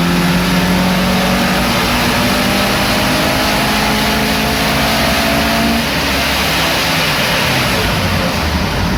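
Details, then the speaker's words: VW Mk2 Golf GTI 1.8 16-valve with bike carb conversion, 140 main jets, warmed up on dyno: hard even full-throttle roar, smoothly climbing pitch, no stumbles; healthy 151 hp pull. "so there we have it 150 well 151 horsepower from the 1.8 16 valve nice result"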